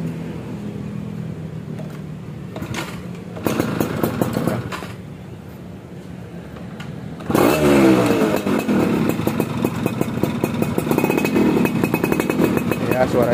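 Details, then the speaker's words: Yamaha F1ZR two-stroke after restoration and re-porting, new non-original Mikuni KW1 carburetor, cold after sitting several days, weak battery so starter struggles, kick-started first try; crackly rattle, quiet then sharp clean rise when blipped; normal two-stroke running. "suaranya seperti itu kurang lebih ya. Ini motor kondisi dingin ya, beberapa hari nggak dinyalain, tapi sekali kita sela langsung cekreng ya."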